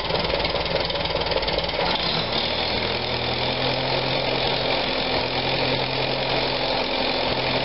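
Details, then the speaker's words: 1945 Farmall BN with Zenith carburetor, started cold in neutral before carb cleaning: uneven idle, note shifting and surging after a couple of seconds. Owner suspects blocked main jet from debris specks, fuel starvation; float level checked fine. "so I I think I'm getting some blockage in my main jet so I'm going to take the carburetor apart"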